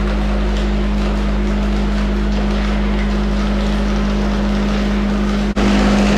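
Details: Van Dale silo unloader after setup (dropped in, hung from hooks, cable tightened, greased and oiled): constant low motor drone, steady hum, one brief dropout, no knocking or grinding; running normally.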